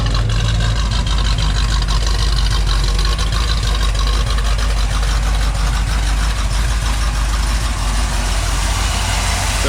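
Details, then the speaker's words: 1978 Ford Bronco, freshly rebuilt matching-number 351M with Comp Cams 284HR hydraulic roller cam, Edelbrock Performer intake, MSD distributor: deep, steady V8 idle rumble, no knocks or ticks; good temperature, high oil pressure; normal idle before test drive. "this is what it's going to sound like in the curb nice temperature oil pressure nice and high"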